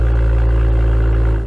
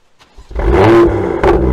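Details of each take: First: BMW M2 (N55) M Performance exhaust on cold start: loud low drone with buzzing hum as the exhaust tips, found misaligned, heavily vibrate for about 10–15 seconds. Exhaust tip rattle. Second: BMW M2 (N55) with M Performance exhaust, cold start after taping the exhaust tips with aluminum foil tape to cure a vibrating rattle: starter catch, sharp rev flare, smooth settling idle, vibrating noise now gone; normal cold start.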